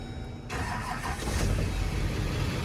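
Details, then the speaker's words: Duramax diesel box truck (donor truck) on a fresh battery: a brief crank, then it catches at once and settles into an even, steady diesel idle. Normal clean start. "Fires right up with a fresh battery."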